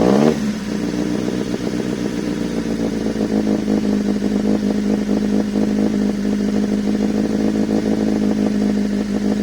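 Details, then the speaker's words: Toyota 2E fitted with a 272-duration TRD-spec performance camshaft, first startup after install: engine won't settle, throttle held just off idle over a choppy, aggressive lope, trying to shoot flames at idle; lumpy cam idle. "she doesn't want to stay down she's she's definitely i can feel her man she's a um pretty uh lumpy cam for sure i have to keep my foot on that just to keep that idling"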